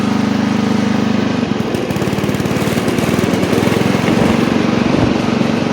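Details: Old Montgomery Ward Power Kraft riding mower mowing with the blade engaged, no air filter fitted; steady, even chug of about two beats per second holding under blade load, no misses or knocks; normal running under load.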